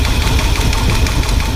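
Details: 1978 Ford F-150 460 big-block V8 idling with the valve cover off and half the gasket missing: fast, loose top-end clatter over a lumpy idle. A flat cam lobe is suspected; a bent pushrod on the unplugged cylinder is also suspected.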